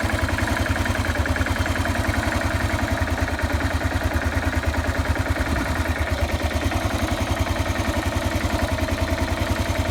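Single cylinder idling cold at a steady thump of about three and a half beats a second with light clatter on top; cause not clear.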